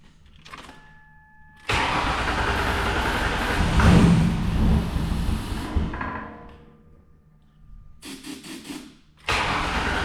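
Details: 2005 Ford Taurus Wagon derby car, gasoline fumes in the barn: long starter cranking, a brief rough catch that fades, more cranking while it puffs lots of smoke; fuel pump found dead.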